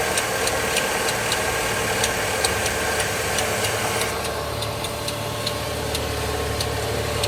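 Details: Opel Z20NET petrol engine at idle: sharp, slightly irregular ticking about three times a second, caused by the secondary timing chain tensioner; fix is replacing the chains, guides and tensioners.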